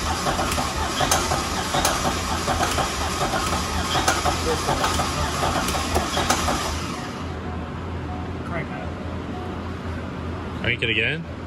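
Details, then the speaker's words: Engine blown during drift thrashing, very thin oil: sharp irregular metallic tick about three per second over rough running on one side; confirmed broken lifter, possibly twisted sideways, rather than piston hitting valve. "Either the lifter is broken or the piston's hitting the valve. Go ahead. Yep. Oh yeah, I can feel it. Ready? Oh yeah, it's definitely 100% lifter."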